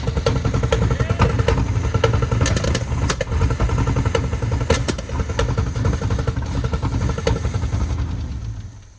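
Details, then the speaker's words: Old free Chevy squarebody pickup V8, first start; it had previously fired, run 10 to 20 seconds and died: lumpy, uneven rumble with irregular stumbles and clatter, then fading away; runs rough right after starting. "Guess we figured out whether it turns over. I'd say it sounded like garbage, together, the old Chevy truck."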